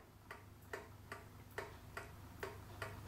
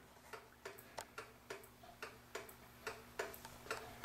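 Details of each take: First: Vintage kitchen pendulum clock after cleaning and oiling, leveled and beat adjusted by bending the pendulum rod: crisp, evenly spaced tick-tock at roughly two ticks a second, running in beat. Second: Vintage kitchen pendulum clock, just cleaned, oiled and leveled: crisp ticks in a lopsided tick-tock rhythm with alternating short and long gaps, meaning it is out of beat; fixed by slightly bending the rod to the ticker to center it.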